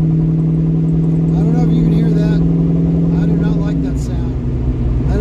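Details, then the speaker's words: 42-year-old Ford Mustang driving under throttle: a steady low hum or whine that fades as load comes off and does not improve with speed. The rear differential has never been opened; worn rear gears suspected, not confirmed. "definitely something in the rear differential something in the rear gears is Letting Go"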